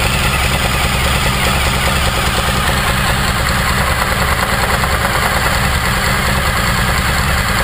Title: 2014 dl1000 engine knock